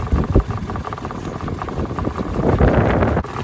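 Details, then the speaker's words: Mitsubishi Mirage after deep water crossing: uneven, lumpy idle surging and sagging with stumbles, held at high rpm to purge water from fuel rail and injectors, expected to take about 10 minutes. "It doesn't look better. It doesn't sound better. There we go. Burn that stuff out of that rail. It's gonna take 10 minutes to get the fuel out of the injectors."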